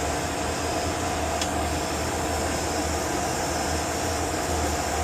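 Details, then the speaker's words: Oil boiler burner restarted after a service for smoking, with the oil pump left switched off: steady motor and fan hum, constant whir, no combustion roar; the burner never lights until the oil pump is turned back on. "what's the one thing we forgot to do all right why didn't we come out what the one thing I forgot to turn the oil pump back on Bingo turn that oil pump back on"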